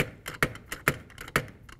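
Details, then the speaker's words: AASHTO T89 liquid limit test (Method B): handle turned to drop scored brass cup, sharp even taps about two per second, clean single drops, targeting 22–28 blows to close about half-inch groove; normal cup drop rate. "22 to 28 blows is what you're after, and you want that to be bouncing approximately two blows per second."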